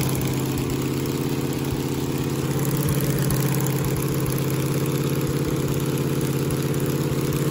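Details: 1969 Camaro 396 big-block Chevy V8 after replacing a worn cam lobe, new cam and lifters, which had left cylinder seven weak: steady, deep lumpy idle with no ticking or missing; normal idle.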